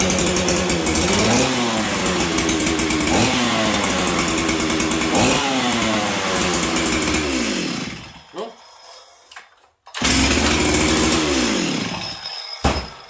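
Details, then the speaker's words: Stihl 044 chainsaw, high compression, after carb kit, metering lever set correct then lowered, leaned repeatedly: revs up then sags with wet burble, stumbles and dies; runs super rich and became a hard starter, cause unknown. "I've tried lowering the metering lever, and this saw runs super rich. And then it became a hard starter."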